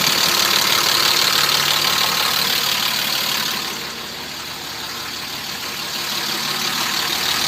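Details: BMW E34 with M50 engine at idle: crisp, even ticking knock about three times a second over a hissy background; engine knock, source not yet identified.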